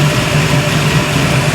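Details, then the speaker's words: 1971 Chevy Nova V8, recently revived, coolant just added, timing set, still fairly cold: even, steady low burble at about 900 rpm idle with no misses or knocks; normal idle. "What does it sound like? Sounds pretty good. Sounds cool driving through the parking lot anyways."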